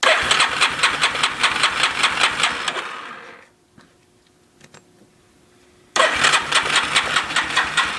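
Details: 350 Warrior ATV after starter clutch replacement: starter churns engine with even pulses, pauses, cranks again, but never fires; crank-no-start, cause unknown.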